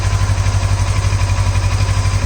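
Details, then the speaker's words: Kawasaki Versys 650 idling after a temporary fix to the cracked IAP sensor pipe that caused a hissing sound: a steady, even low throb with no hiss; the noise is gone. "so if you can see that sound has disappeared so the noise that it was making it has disappeared"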